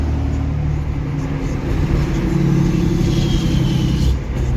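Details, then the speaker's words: Diesel hotshot truck cruising after 80 minutes of driving following a built valvetrain, head studs and valve adjustment: an even drone with no top-end ticking or clatter; valve adjustment is correct. "And I'd say she's running good. She's running good. We got the valve adjustment correct."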